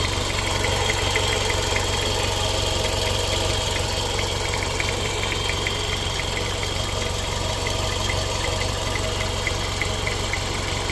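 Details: Toyota MR-S / MR2 Spyder ZZW30 (JDM) 1ZZ petrol engine, about 91,000 km, idling: steady hollow knock about four per second; source and cause unknown, engine otherwise runs fine.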